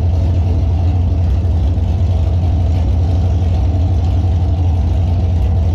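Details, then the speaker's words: Monaro V8 with a new cam, warm at 81 degrees: heavy, deep rumble with an uneven, stumbling idle, spluttering and blowing smoke. The cam has thrown the tune out and it runs rich. "doesn't seem to idle when it's warm the cam has put the tune way way out and making it run rich because it tries to idle and it splutters and it blows smoke"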